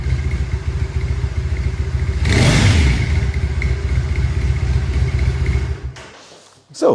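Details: Triumph Bonneville SE 865 parallel twin on stock silencers, in garage, before fitting D&D Predator silencers: even quiet idle with a soft steady pulse about three to four beats a second, sounding healthy.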